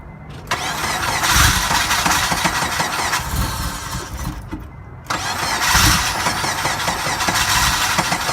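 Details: 2002 Acura RSX Type S no-start: two bursts of steady cranking at about three turns a second, engine never catches; fuel delivery suspected, later found to be failed fuel pump assembly.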